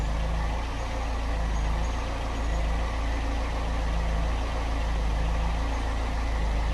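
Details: Ford Cortina Mk3 2.0 Pinto four-cylinder after replacing the hardened valve stem seals, which had caused smoke on start-up and oil burning at idle, warming up: smooth, even low idle with a steady beat and no ticks or misses.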